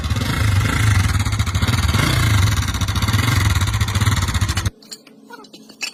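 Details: Pushrod engine with a lumpy idle: loose, uneven tapping about three or four per second until shutdown; abnormal top-end noise, cause unclear.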